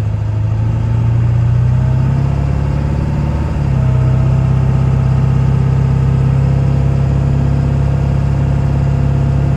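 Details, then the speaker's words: 1999 Ford F-350 SuperDuty 7.3 Powerstroke diesel dually, 88k miles, fully serviced, automatic pulling uphill: steady deep drone, revs drop cleanly at the gear change near 3.5 seconds with no flare. Transmission shifts through gears without slipping. "we're gonna head up the hill here you can hear for yourself transmission go through all the gears you can hear it doesn't slip just pain gears"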